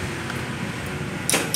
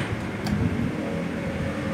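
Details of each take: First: Honda Vario 110 starter clicking "tek tek tek": two sharp metallic clicks over a low hum, engine barely turns over; mechanic blames a weak CDI rather than the battery, fixed by rewiring without replacing parts. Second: Honda Vario 110 scooter after fixing hard starting with tek-tek-tek starter clicking (jumping wires rather than replacing battery): idles, brief starter whir fires it cleanly, settles back to idle.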